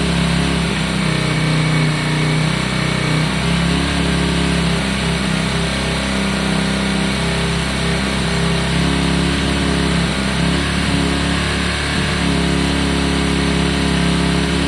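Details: Yamaha Virago 535 V-twin after carb clean and re-jetting, started on choke and still warming up: even, steady idle with a firm low thump and no misses or stumbles. Runs clean and healthy.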